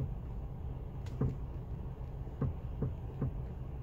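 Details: FIAT 500X with 49k: a few dull, irregular low clunks, roughly one a second at times, in the steering column, probably the steering intermediate shaft (unconfirmed); a recall covers this issue.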